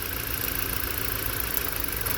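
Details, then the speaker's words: Four-cylinder petrol engine with newly installed PCM idling with uneven, stumbling low rumble; swapping coils between cylinders one and two shows misfire from a failing ignition coil. "hey we still got a misfire now let's see it is twist to this look at that guy no change"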